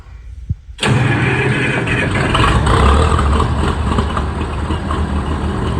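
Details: 1965 Minneapolis Moline G707 tractor bought off eBay, seller said dirty fuel tank and ran poorly, on an 80-degree day despite being cold-blooded: brief crank, fires at once and holds a strong, steady idle with no hunting or stumbling; starts healthy.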